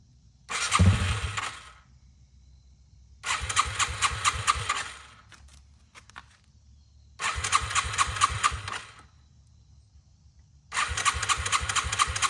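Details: 2001 Yamaha TTR 225 after four years sitting and carburetor cleaning, first start on loosely fitted tank with jump pack: four bursts of starter cranking, slow to catch; owner thinks fuel was slow reaching carb; then fires and idles smoothly.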